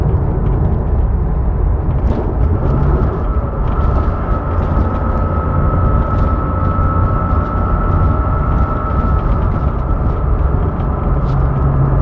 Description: There's a high pitch humming that has started a few days ago as of posting this video not sure what it is or how to address it.